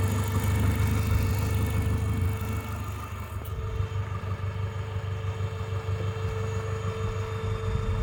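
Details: Renault Megane 2 with 2.0T F4RT 776 engine at idle: steady low drone with a constant faint whine and a loose, uneven pulsing. Strange noise, cause unclear.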